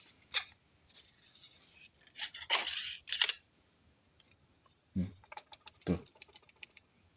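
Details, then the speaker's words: Yehang telescopic fishing pole with a loose joint: two dry creaking clicks as it is worked; fixed by shimming the lower section with plastic instead of a ferrule. "Ada suaranya krek krek. Tuh krek krek. Nah, kalau di zoom bawah atau di busus, diburus dia sembuh."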